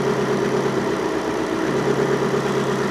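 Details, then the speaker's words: 1954 Ford F600 with a V8 and coil packs, cylinder drop test at idle on cylinder eight: a lumpy idle that labours heavily as the cylinder is unplugged, showing it fires; the misfire was traced to a dead coil pack. "So, if I unplug it and plug it in, you can hear the engine labor. So obviously I am disconnecting that cylinder."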